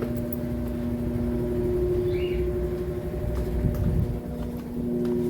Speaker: Naquele dia eu não sei porque que ela parou de centrifugar. Não centrifugava de jeito nenhum. Ó, tá centrifugando.